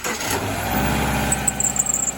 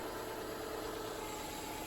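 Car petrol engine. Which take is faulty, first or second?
first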